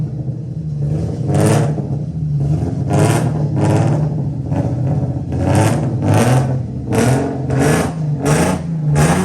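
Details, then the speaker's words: 1990-96 Nissan 300ZX (Z32) before repair, running badly and smelling very rich; uneven, lumpy note through repeated throttle blips. Owner first suspected a coil or stuck injector; misfire traced to loose, brittle ignition coil connectors. "from the little clip before this that is running like dookie so we're gonna have to figure out what the heck is wrong why it's running the way it's running smells Super Rich so maybe coil's not working"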